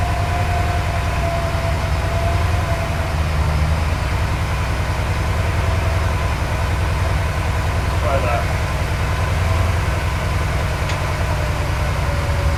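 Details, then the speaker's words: Porsche 928 with the mixture way off, during mixture adjustment: low, lumpy idle with an uneven beat and wandering revs; still missing, especially when accelerating. "it's still missing though I can hear it I'm so reach out of it so it's missing a lot like when I um accelerate that way"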